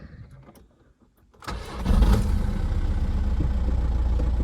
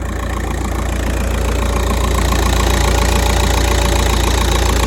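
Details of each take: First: 2008 Volkswagen Golf 5, 2.0 diesel, manual, 200,027 km: brief crank, catches promptly and holds a steady idle with no hunting and no warning lights. A clean cold start, though a hammer-like knock from the engine is noted afterward. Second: Volkswagen Golf 5 petrol engine, 200,027 km, idling at steady rpm with no warning lights: steady hard knock about three to four blows a second, like a hammer striking the engine.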